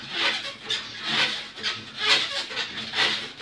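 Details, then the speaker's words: Month-old Kettler Rivo P elliptical cross trainer two days after a technician's repair: loud high-pitched squeak about twice a second while pedalling, audible doors away, with handlebars now very unstable. "terrible 400 500 cameras in the shade that can be heard two three floors or delay get out the noise"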